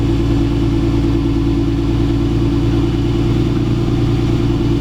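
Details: Turbo Lexus IS300, first start after EMU Black ECU install: steady, even idle with a smooth low drone, no knocks, misses or hunting; TPS 4%, ignition angle 13 degrees.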